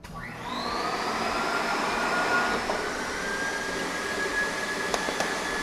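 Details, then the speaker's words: Ampak Thrifty Pack TP1824 skin packaging machine during vacuum cycle: vacuum turbine whines to a steady pitch, then two sharp pops as film bursts because vacuum is set too high, pulling through the film. "now you will note in the vacuum cycle you heard the popping sounds that's a good indicator that the vacuum has been turned up too high so it's actually pulling vacuum through the film and breaks through the film which you don't want"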